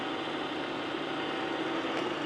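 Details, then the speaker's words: K&T plain No. 4 horizontal mill, clutch bumped into high range, 466; steady even gear whir, constant mid tone, no knocks or grinding — gearbox running smoothly; motor drive has only one belt, the other likely rotted off. "And this will put you over into high range over here, 466. Nice and smooth."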